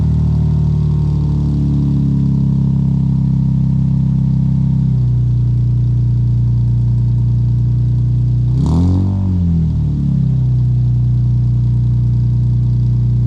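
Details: Lexus IS200, first true cold start on the new DIY straight-pipe decat exhaust: loud deep exhaust drone at a fast cold idle settling lower, one brief rev blip, running smooth and even.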